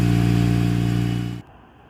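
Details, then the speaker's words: Mitsubishi Evo after repairing burnt wiring that caused a no-start, temporary wiring fix; strong steady smooth engine note then clean shutdown, no burning wires. Normal running. "well guys that concludes the Evo fix she starts right up no burning wires"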